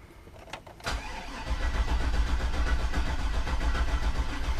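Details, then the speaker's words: Garage-rebuilt LS engine, cranked to prime the oil pump before first start, fuel pump not yet working: a couple of clicks then a labored, uneven chug of three to four turns a second with no catch; battery dying, needs a charger. "my battery's starting to die that figures all right we may have to put this on a charger"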